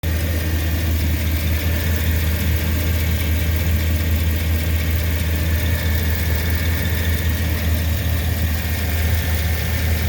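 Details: 2009 Chevy 2500HD 6.0L V8 at idle with a cylinder 5 misfire (P0305) after new plugs, coil and injector: a light tick and faint puffing. The cause was a stuck exhaust lifter on cylinder 5, a stuck cam bearing and a bad exhaust flange gasket; the engine was replaced.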